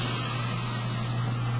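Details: Kitchen food disposal run during a home inspection; it is connected to the dishwasher and the sink. Smooth, steady motor hum with water rushing behind it, no grinding or rattle; the disposal is spinning normally.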